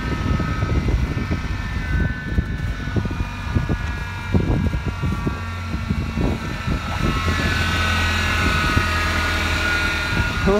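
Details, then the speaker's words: Ford Ranger cold start at -40°F/-40°C without block heater plugged in; rough cold idle with a thin high whine rising near the end, cause unknown; whining idle on cold start. "crying let that run for a while it's a friggin cold outside that's for sure"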